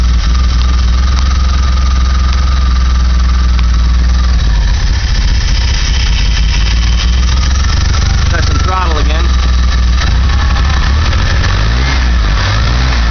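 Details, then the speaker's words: DeLorean engine: a loud, lumpy low rumble at idle with uneven throttle blips, sounding fuel-starved and near stalling; smoke comes from the valve cover and the owner suspects condensation/moisture burning off; rough running. "again sounds like a starving"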